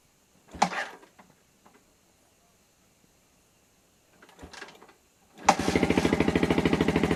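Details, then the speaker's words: Old Yamaha Vixion fuel-injected single started with the battery removed and the capacitor bank fitted: quiet handling sounds, then it fires and settles into a steady, even putter about three beats a second; runs normally without a battery, provided the regulator/rectifier is good. "Ya, motor masih bisa menyala ya. Nah speedometer pun masih bisa nyalain. Artinya tanpa aki pun motor masih bisa nyala ya, dengan catatan kiprop masih bagus."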